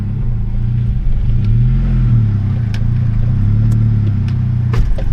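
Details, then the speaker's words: Saab 9000 2.3 CSE: a deep, boomy rumble swelling as revs rise and fall, with a shaking drone. Both hydraulic engine mounts are shot; only the polyurethane top and gearbox mounts still work. "yeah i can hear that uh the both hydraulic mounts are shots so the only mounts are actually working are the polyurethane mounts on the top and on the gearbox"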